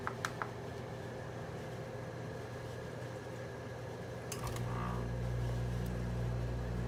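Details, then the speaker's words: Frigidaire air conditioner in a grandmother's house, first startup of the season at 72°F outside, after a 3-minute delay: fan hiss, then about four seconds in a deep steady compressor hum kicks in and holds; normal compressor startup. "There it goes. Starting to go through now. You can hear the Frigidaire starting to go through it."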